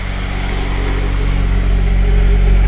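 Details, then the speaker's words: 1997 Honda CR-V after a misfire and check-engine-light repair, started up: a smooth, even low rumble with no stumble or shake, and the check engine light stays off. Normal idle. "well so far the car's not shaking [Music] the motor's not shaking"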